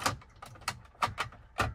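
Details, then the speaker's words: Truck interior door trim panel rattling with loose plastic clacks, about six in two seconds, because a broken retaining tab leaves the panel unsecured; noticeable while driving. "And I don't like that. You can hear it rattling. Like, it rattles. I don't like that when you're driving."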